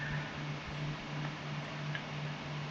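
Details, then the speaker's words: Household water pump after repair: motor hums steadily and quietly, earlier loud noise gone; the noise had been caused by a gecko damaging the cooling fan, which was replaced and locked to the shaft. "ลองการทำงานด้วยนะครับเสียงก็จะหายไปเห็นมันก็จะหายไปเงียบ"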